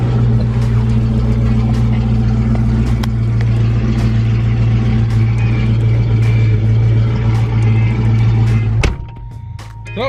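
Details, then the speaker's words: Fox Body Mustang GT after replacing the fuel pump relay under the driver's seat: deep, steady V8 burble with even firing for about nine seconds, then shut off; fuel pump priming and engine running normally again. "this is a sound that was missing earlier there she blows boys"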